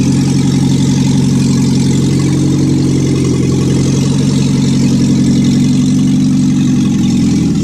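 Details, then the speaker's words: 1955 Morris Minor, engine and gearbox just installed: small four-cylinder ticks over at a steady, even idle with no misses or knocks. Running normally, not yet driving. "So there we are, end of day one, and we've got a running Morris Minor, not driving yet."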